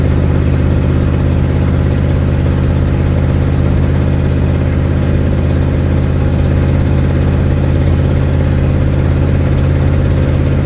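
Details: 1972 Ford Mustang driving home, phone mounted in the dash, leak not yet fixed: heavy low drone under steady driving with an uneven chuffing beat near 200 per minute. Exhaust leak.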